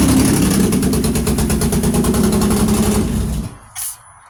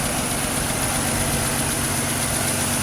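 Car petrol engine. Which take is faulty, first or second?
first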